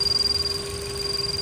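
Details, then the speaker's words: Electronic stethoscope needle right on the PCV valve body: fast, even fluttering pulses, roughly a dozen a second, with nothing heard on the hoses above or below; the PCV valve is opening and closing normally. "I got it right on the PCV valve you can hear it beeping if I put put the needle on to the hose on the top of the valve nothing happens if I put it on the bottom of the hose nothing happens if I put it right on the valve the body sorry so that PCV valve is opening and closing as it should"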